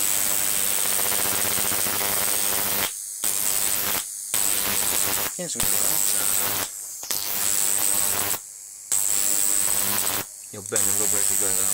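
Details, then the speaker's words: Large flyback on a ZVS/MOSFET driver fed 30 V from a toroid transformer: high hissing arc buzz with faint low transformer hum, cutting out briefly; owner attributes the interference hum to inadequate capacitors, not confirmed. "now there's a bit of a transformer interference coming through there as you can hear um i could really do a bit better with my capacitors but it's not bad for what it is anyway"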